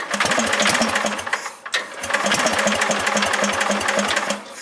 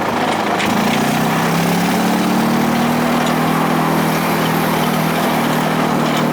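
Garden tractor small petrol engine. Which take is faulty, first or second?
first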